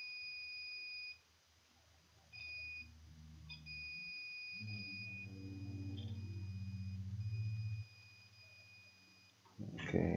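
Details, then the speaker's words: Sapphire Nitro Radeon RX570 8GB graphics card: high, steady multimeter beep each time the probe touches, holding for seconds; rail shorted straight to ground on one side of the fuse, meaning the fuse is no longer working. "ide there's a shot hope you can hear my multimeter speeding making noise i mean there are shorts straight to ground by the other side"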